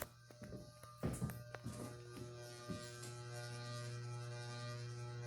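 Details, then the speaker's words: 42-inch Walmart Impressions ceiling fan, light off, fan running: steady low electrical buzz with a hard edge, the motor buzzing far louder than it should. "well as you know it makes a lot noise like buzzing right yeah if you guys can hear it"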